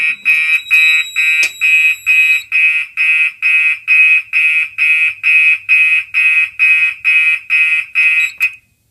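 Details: Gentex fire alarm system test, reactivated from a BG10 pull station: the horn pulses on and off in march time, about twice a second; a normal working alarm.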